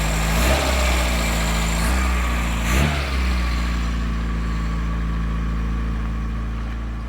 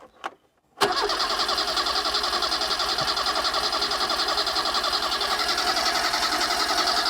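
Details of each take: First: 1980s Vauxhall hot hatch barn find idling with a low smooth hum, no knocks or misses; original fuel pump delivered no fuel and was not used, engine running really smoothly. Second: 1980s Vauxhall hot hatch barn find, small engine, cranking steadily for about eight seconds at three to four pulses a second without firing once; crank no start, either too little fuel or flooded, suspected, not confirmed.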